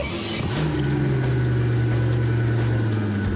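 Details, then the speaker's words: Mercedes S600 V12 bi-turbo, bought cheap as a non-runner, now running: a deep, smooth engine note climbs slightly with revs and holds even, with no stumble or knock; the V12 runs clean. "it sounded like it ran smooth right yeah it did have a listen"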